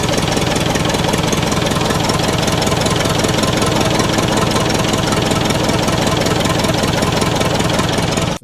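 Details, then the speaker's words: Massey Ferguson 178 diesel in a roughly 50-year-old cane haul-out tractor, sitting for years, cranked at wide open throttle: steady cranking about two and a half turns a second, never catching; injector pump suspected not delivering enough fuel. "it looks like we've got enough diesel coming out of the inlet pipe going into the injector pump but it looks like we just can't get enough"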